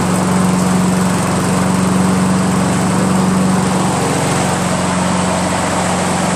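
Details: Honda Harmony HRM215 SX self-propelled mower, GXV140 single-cylinder engine, cracked deck and stripped rear drive gears; holds a steady, even speed with no stumbles or misses: normal running.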